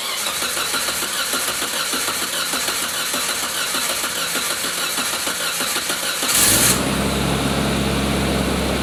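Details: 1987 Suzuki Samurai with an '89 Geo Tracker I4, after repair for a suspected blown head gasket: fast, even cranking for about six seconds, then a clean catch into a smooth, steady idle; normal start.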